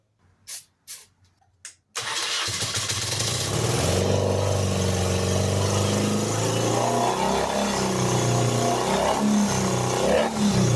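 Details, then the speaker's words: Custom BMW R80 Paris Dakar-style motorcycle revived after accident, first start: little smoky, settles into fast metallic clatter of three or four beats a second; owner suspects rod knock or oil pressure loss, unconfirmed. "All right. Little smoky. Something was clattering there. Pretty good. That didn't sound right. Did I lose oil pressure?"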